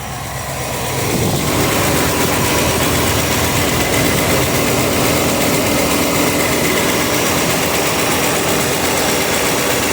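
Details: 305 small-block Chevy V8 at idle: light steady ticking over low rumble, loudest on driver's side, barely audible on passenger side; owner suspects exhaust leak or worn lifter.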